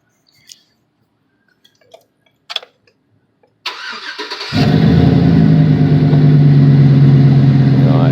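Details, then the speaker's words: Chevrolet Tahoe/Avalanche 5.3 after repairing a bad wire ground: quick crank, catches at once and settles into a smooth even idle; starts normally now (cluster tach reads off). "I'll even start it up. I mean, it starts no problem now."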